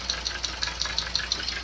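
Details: Hyundai Accent with check-engine light, misfire and noise, reportedly stalling while driving. Light sharp ticking about 5–6 per second over a faint uneven idle. Oil-soaked, swollen ignition coil boot is losing spark-plug contact; fix is a new coil and valve cover gasket.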